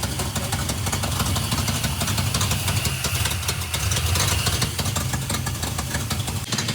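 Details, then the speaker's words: 1971 Plymouth Satellite 318 V8 with newly fitted Thermoquad carburetor, plugs possibly fouled by diesel fuel: uneven loping idle with irregular stumble in exhaust note; rough idle, no vacuum leak found, running a little rich. "Okay, it seems to be running a little rich, running a little rough."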